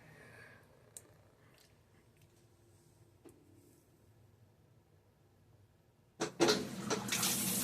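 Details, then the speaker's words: Whirlpool WTW4816FW3 top-load washer (bought 2023, circuit board replaced three times), which grinds loudly on its own: after a reset, near silence then a strong steady hiss of water filling, no grinding; normal fill. "Okay, that sounds like it's supposed to sound, instead of that grinding noise."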